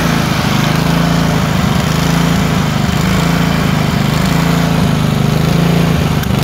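Steady drone that swells and sags unevenly about once a second, with ragged uneven beats: a surging twin missing on alternate cylinders.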